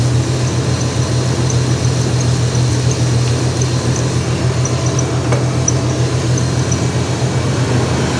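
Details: 1999 Ford Ranger after replacing a bad alternator: steady, even low idle that keeps running without stumbling; the new alternator is charging.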